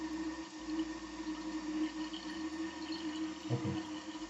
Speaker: that's what the noise that you can hear is because the water goes through that tube. And the floater is not doing its job.